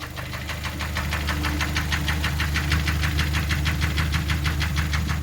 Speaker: 그 고질적인 문제 딱딱딱딱딱 하는 소리가 계속 날 거예요. 어느 부위인지 정확히 모르겠어요. 그쪽에 엔진 쪽에서 일단 소리가 나죠.